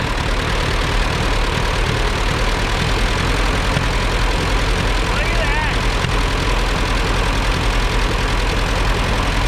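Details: Narrow-front Allis Chalmers WD rescued from the bush, seized that morning and freed, now started and running; loud, busy, slightly uneven running, not smooth yet, with bugs to work out and a tune-up planned.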